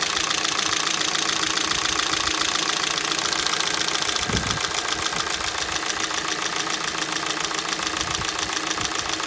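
Fast, even light knocking about three to four per second over a cold idle; a cold-start knock, source not yet pinned down.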